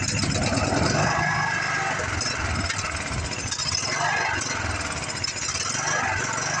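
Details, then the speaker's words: Craftsman riding mower that sat for years, first run after revival: a steady, even single-cylinder putter at idle with no knock or miss; it stopped smoking and is not hard to start, so the engine sounds healthy. "the engine sounds healthy no Notch no flatter no nothing like that it's not even hard to start like some of these rigs are"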